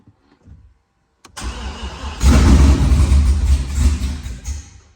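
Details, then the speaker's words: Engine started after repair with a fuel pump ground disconnected, pump not running: cranks, then uneven chugging low rumble surging and sagging, starving for fuel; with ground reconnected the pump runs but it won't start. "So that ground right there wasn't hooked up, and the fuel pump wasn't kicking on, but it was running. You heard it chugging along."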